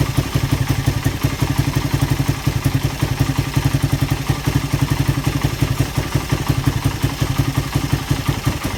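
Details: Suzuki Satria FU after repair of compression loss blamed on badly leaking valve oil seals, new piston fitted: even single-cylinder putter, regular firing, no miss or knock; slight smoke. Normal idle.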